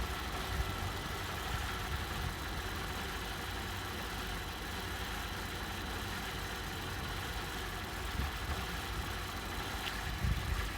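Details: 2009 Holden Omega VE Commodore idling with an uneven, lumpy beat and occasional stumbles, a misfire and rough running; possible causes are spark plug, coil pack, vacuum leak or faulty sensors, unconfirmed.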